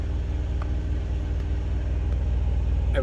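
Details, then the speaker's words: Thermo King APU running steadily 20 minutes after the controller knob contact fault was addressed; it no longer shuts down with the yellow-triangle fault and is still blowing cold. Steady even low drone with a smooth pulse, no stumbling: normal running. "so it's been 20 minutes the Apu is still working fine it doesn't do the fault anymore"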